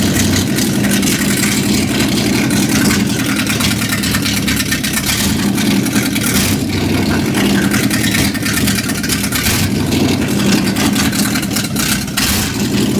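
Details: 1955 Chevrolet truck, just got running after cranking attempts: loud, uneven lumpy idle surging and stumbling every few seconds; runs on about six cylinders, misfire suspected, cause unconfirmed.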